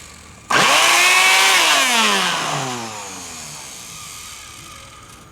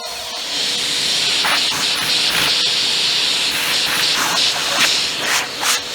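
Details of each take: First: Trash-picked Bissell PowerForce Helix 2191 vacuum motor test-powered through a loose alligator clip before soldering; whines up sharply, then winds down with crackling snaps. Motor spins; the sparks come from the clip bouncing on and off. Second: Bissell PowerForce Helix 2191 bagless upright vacuum, trash-picked; belt or roller brush likely faulty, but suction tested by hand over the intake: steady high airy rush with a faint constant tone, dipping as the opening is blocked and freed. Excellent, healthy suction.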